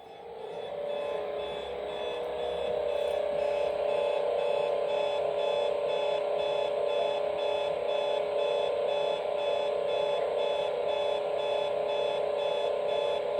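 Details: Hotel room radio alarm set to AM near an airport: steady mid-pitched tone with fast regular beeps, three to four a second, over hiss; unexplained AM interference, owner suspects military jets or encoding.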